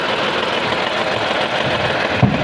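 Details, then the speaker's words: Renault Kwid at idle; uneven, shaky beat with a missing pulse; cylinder 3 dead, not firing, confirmed by unplugging injector connectors; injector 3 control circuit fault, harness from injector to ECM being checked. "तीन number cylinder जो working कर ही नहीं रहा है यही मेरा problem है"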